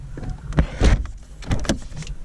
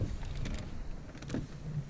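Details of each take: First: 2009 Ford Fiesta Mk7 1.25 after misfire repair and oil change; sharp irregular metallic clicking from a loose jacking point strap underneath, which had cracked the pillar and torn spot welds, fixed by tightening the bolt. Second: 2009 Ford Fiesta Mk7 1.25: low even rumble with only faint ticks, no clear clicking underneath after tightening loose bolts on a cracked pillar causing clicking.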